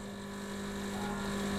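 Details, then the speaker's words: Milesto Eliane espresso machine, vibratory pump deliberately overheated through repeated brews: steady buzzing hum slowly getting louder under sustained load as the pump nears its overheat cutout. "Hai sampai nanti kejadian nih overhead nya Hai jadi kita sengaja ini memang bikin dia ya over Heat"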